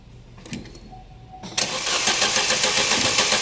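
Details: 2011 Opel Meriva, stone-cold engine on a cold day, complaint of hard starting on cold mornings; starter churns at a steady beat of nearly four a second without catching; extended cold crank from a faulty coolant temperature sensor, with no fault codes stored.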